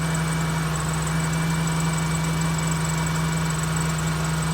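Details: 2012 Dodge Caravan first start after radiator replacement for overheating, checking for leaks; even steady low hum with no knocks, ticks or surging; normal idle.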